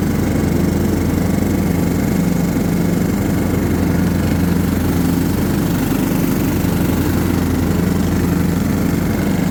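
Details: John Deere LT150 mower with replacement 15 HP Kohler engine, freshly swapped and mowing grass: deep, even single-cylinder thrum at steady speed, no misses or knocks; pulls the load healthily.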